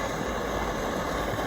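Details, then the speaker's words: 1945 American GI pocket stove eyebrow burner at full flame: jet valve cranked all the way open after a blue-flame warm-up, pressure valve kept closed. A steady, even hissing roar with no sputter or surging; the burner runs normally. "let that blue flame go for a second let some good gas flow go and then crank it all the way open there's only one setting on these and that's Full Tilt or nothing"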